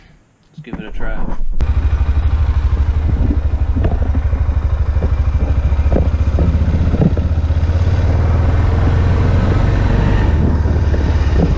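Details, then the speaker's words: Honda ATV (Rincon 680 or Rancher 350) after rear brake caliper service and greasing, test ride: steady low engine drone with an even pulse as it rolls and slows; no squeal or grind from the brakes. "oh yeah there ain't no squeaking or anything that's that's great"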